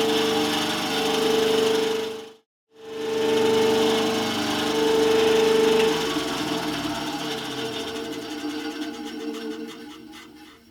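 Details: Scheppach HBS20 band saw on its first powered one-minute run after a blade change and tracking adjustment, door closed: a steady, even hum at one constant tone with no knocks or scraping, then a smooth wind-down. Normal running.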